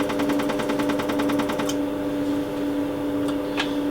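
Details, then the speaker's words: Quantronix Excel Dual Pulse 2000 (combined holmium and neodymium laser), on its working neodymium side. The flash lamp fires as crisp, even snaps about ten a second over a low hum. Normal pulse firing. "You can hear already the flash lamp inside. So the laser is running, but there's nothing coming out of the fiber yet until I press the foot switch."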